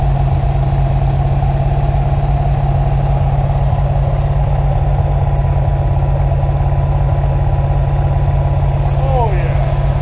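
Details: Rebuilt 350ci 300hp small-block Chevy V8, original engine from a 1970 Nova, first start after rebuild: steady even idle with firm low rumble, regular beat, no knocks or ticks; normal idle.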